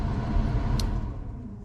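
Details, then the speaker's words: 1978 Chevy C10 with A/C, key on, blower selector moved through speeds: steady low blower roar fades out after about a second as a speed cuts out; worn contact inside the blower switch. "We lost that speed. It's a contact inside this switch. If you fiddle with it, you can get it."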